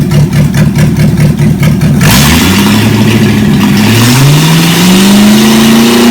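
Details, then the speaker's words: Chevy 283 V8 from Facebook Marketplace, first start on the shop floor: rhythmic cranking, then it catches at once and revs up smoothly and evenly with no misfire; normal running and revving. "how about that can't get much better than that can you"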